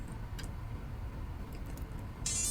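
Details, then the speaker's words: Furitek Lizard Lite ESC in a CR18P crawler gives a single short high-pitched beep after full throttle, full reverse and neutral steps, confirming throttle calibration is complete. "1, 2, 3, 4, and you're calibrated."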